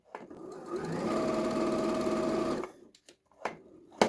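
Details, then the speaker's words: Used Janome 2030QDC computerized sewing machine running before any lubrication or service. A steady, slightly harsh whirring clatter about three to four stitches a second; dry running noise, needs oiling (suspected). "As you can see, sound of the machine without doing any lubricant. We will hear the sound after when we do the lubricant."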